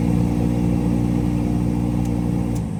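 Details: Car AC blower motor running with a loud steady low drone and coarse, rough churning edge, caused by a foreign object caught in the blower fan.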